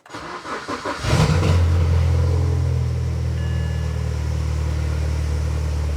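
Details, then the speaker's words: BMW 116i E87 N45 1.6L after replacing both VANOS inlet and exhaust cam timing adjusters for a suspected top-end rattle, first start, cold: brief crank, catches promptly, steady quiet low idle with no rattle; normal start-up. "I'll need to run it up and get it hot to find out if the uh rattling has stopped. I must say it sounds very quiet."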